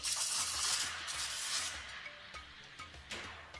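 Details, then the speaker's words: Espresso steam wand set too shallow in the milk jug: loud hiss with sharp irregular slurps and pops, way too much air going in, giving big bubbles on the surface. "you've got way too much air going into your milk, and you'll see big bubbles happening on the surface."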